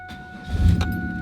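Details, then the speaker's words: 1999 Pontiac Firebird V6, 200 hp, high mileage, used car inspection: brief crank then engine catches immediately and settles into smooth low hum; clean healthy start. "Starts right up."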